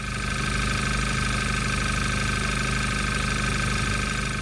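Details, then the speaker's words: VW Golf 6 GTI idling after replacing the N80 canister regulation valve: smooth, steady low hum with no misses, knocks or surging; no engine warning light, repair successful. "Pas de voyant moteur, c'est que l'opération s'est bien déroulée."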